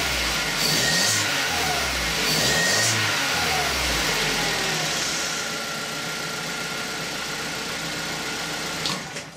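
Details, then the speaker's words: Opel Corsa D after engine mount replacement: petrol engine idles evenly with two quick rev blips, no knocks or vibration. "все ребята вибрации нет ставьте лайк кому понравилось все нормально ничего не стучит сами слышите наверно все хорошо"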